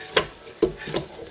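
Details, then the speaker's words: Mk3 Ford Cortina GXL refurbished fibreglass heater box, diversion flap assembly swung by hand while riveting: three or four soft dull thumps, no scraping or rattle, free quiet normal operation. "just check with everything clears first hands in and just see that we've got a good operation which we have nice you can hear it just make a nice buff noise which we like"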